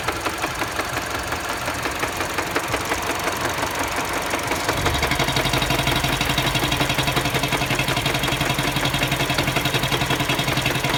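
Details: Mini Cooper at idle with sharp, regular knocking about three per second, growing louder and more even midway; engine knocking, cause not yet pinned down.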